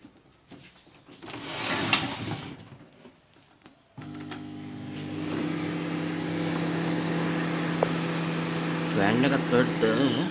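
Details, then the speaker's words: Microwave oven runs with a click, then a steady low hum and fan whir, but does not heat. The fault is not yet located, and the oven is to be opened up and searched. "එකත් නමුත් heat වෙන්නේ නැහැ. not heat. අපිට එකක් දාලා බලමු. Heat වෙන්නේ නැහැ."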